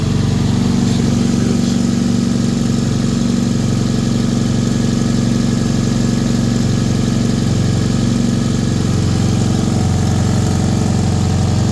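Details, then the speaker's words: 1995 Toyota Corolla, 257,000 miles, after an exhaust flex pipe repair: small petrol engine idling with a steady, fairly quiet exhaust note and no puffing or rasp; runs solid, normal idle, possibly a very slight leak remaining. "Runs really good. Really solid. Exhaust sounds way better."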